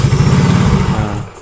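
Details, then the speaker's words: Yamaha Mio Soul GT fuel-injected scooter with stalling problem, idle adjustment: slow, lumpy idle that sags and fades as if about to die; idle speed set too low via the throttle-stop screw. "nah ini kalau kekecilan kayak gini ya ini posisi kekecilan tadi gede banget"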